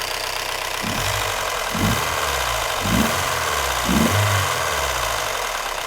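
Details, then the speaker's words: Mazda Miata with heavily reworked engine, running on year-old gas topped up with 91 octane; harsh loud idle with a hollow thump about once a second over a rattling hiss, diesel-like, cause unclear; clattery rough idle. "oh it really sounds like a diesel engine jesus that thing oh i'm gonna need to put an exhaust or intake or something to make that sound a little better because that is oh boy that sounds terrible"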